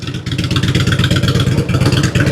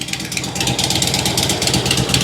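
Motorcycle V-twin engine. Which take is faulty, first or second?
second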